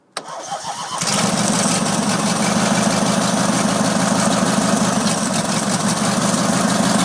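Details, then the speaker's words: Opposed-twin Briggs & Stratton engine with new starter, first start after head gasket replacement, no compression test done yet: short crank, quick catch, then steady even putter at constant speed. It sounds healthy and smooth. "Typical. Stalled. Sounds really good though."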